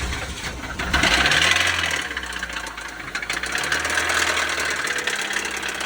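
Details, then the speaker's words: 2003 Toyota Celica at auction, started on a jump box: just after start-up a quick uneven tapping knock rattles over the idle, roughly three a second; something is knocking inside the engine. "start it up knocking a bit on this one"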